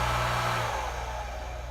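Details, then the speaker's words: Two-speed 115 V hot tub pump motor after bearing replacement, running on high speed: steady hum easing off in pitch as it winds down, no grinding or bearing rumble; normal running. "And this is a 115 volt motor, so we've got it connected to 115 volts. And there we go. Sounds good, works good."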